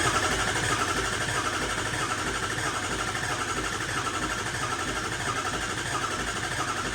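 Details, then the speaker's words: 6.0 Powerstroke diesel after new injectors and a tune, on 65–70 psi. Steady starter churn at roughly a beat and a half per second with no firing: long cranking, typically about a minute, because the new injectors are full of air. "I know it's going to take a while to crank because these injectors have a lot of air in them so usually it takes like a minute or so of cranking for them to start up"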